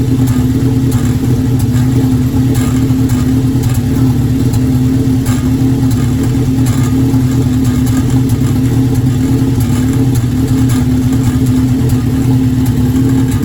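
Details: Formula engine after intake manifold gasket installed, running loud and steady but with a choppy, uneven beat and irregular pops breaking the rhythm; misfire.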